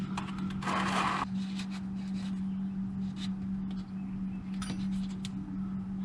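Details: Suzuki Cappuccino after installing new differential bushings and refilling diff fluid: steady low drone while driving, no clunks or knocks on power changes; differential clunking noise gone, repair fixed it.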